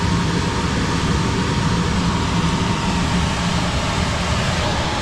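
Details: Mobile-home AC outdoor condenser after a low-voltage no-cooling fault was found, with the tech's jumper on the blower relay: even, constant compressor and fan drone, no surging or metallic noise; outdoor unit running normally.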